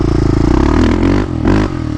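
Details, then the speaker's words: Yamaha Raptor 660 single-cylinder with Lexx exhaust, after transmission repair: thump climbs with throttle but briefly sags and stumbles mid-rev; owner suspects idle jet and needle need adjustment. "I think it needs a little bit of work possibly with the idle Jet the small Jet and uh maybe the needle just a little bit doesn't sound terrible see a little bit of a hesitation there"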